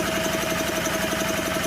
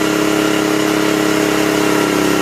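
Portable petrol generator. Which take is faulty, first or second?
first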